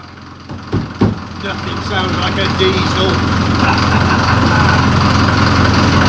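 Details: Series 2 Land Rover diesel on first start in three years, with a new starter motor and a weak battery, on 3-year-old diesel. A couple of cranking thumps, then it catches into a loud, even clatter that holds steady: normal diesel idle.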